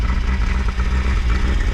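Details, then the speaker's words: Peugeot 205 GL warm engine idling with choke pulled: deep, slightly lumpy idle with uneven low pulsing, a little blue smoke, cylinders flooded with fuel; over-rich running from choke on a warm engine. "ça fum un peu oui c'est un peu une fumée bleu tu sens qu'elle est gavée quoi là les cylindres attention ils ont plein d'essence dans la gueule"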